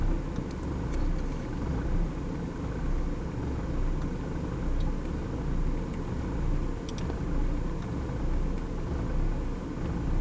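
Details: 1994 BMW E36 318is four-cylinder petrol, warm engine, low uneven wavering rough idle; happens sometimes after warm-up, with occasional power loss and high fuel consumption (15-20 l/100km); cause unknown.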